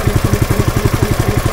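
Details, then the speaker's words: Honda GX160 compressor engine with the throttle at minimum: an even, steady low thumping that holds a stable idle with no misses or hunting, normal. "Nah, ini bisa stasioner kalau Honda, tapi kalau Cina putaran separuh aja hilang,"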